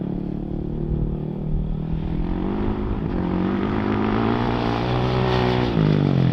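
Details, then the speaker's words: 2007 Yamaha YFZ 450 quad with a new Jet Lab carb fitted to cure popping: a steady, deep single-cylinder thrum that pulls away smoothly with no popping or backfire, running normally. "She sure sounds like she's running a whole lot better today."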